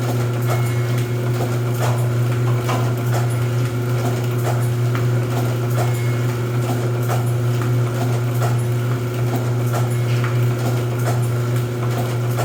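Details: Rosback 250C (318) 3-knife trimmer with CueFeed feeder, new DC controller fitted, delivery not running so books caught by hand: steady low motor hum with sharp knife clack about every two and a half seconds; normal trimmer running cycle.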